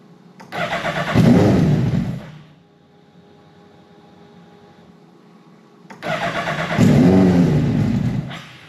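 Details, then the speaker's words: Stohr race car engine, newly assembled with MoTeC dash, ECU and PDU on CAN bus, fires on two tries, catching about 1.5 seconds each then fading out; one reason it can't keep running is that the barometric pressure sensor was unplugged, with an oil leak also present. "But beyond that, the reason the car would fire and not continue to run was for two reasons."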